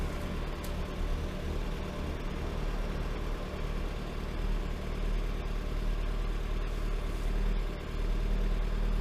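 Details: Lada Granta 126 engine, first start after a full rebuild (bored block, new bearings, 82.5 repair pistons, new timing kit and valves, new plugs): steady, low, laboured idle with a dull rumble and no sharp knock; rough idle after rebuild.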